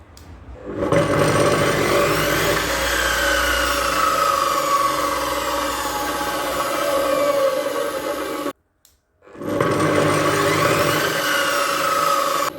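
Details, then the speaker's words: Profile saw (jigsaw) motor after fitting an Amazon-bought soft start module wired to the switch outputs: whirrs up gradually over about a second with no thump, stops, then ramps up gently again; much softer than before, when harsh starts had loosened a gear. "gibi çok yumuşak daha önceki ilk başlangıçtaki bunu takmadan önceki çalıştığımız mod"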